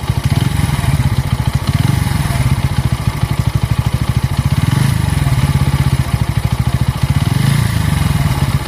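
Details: Bajaj Pulsar N160 single-cylinder: rough, uneven thump pulsing every couple of seconds; engine smoothness lost since the first service at 500 km; abnormal engine noise, cause unknown.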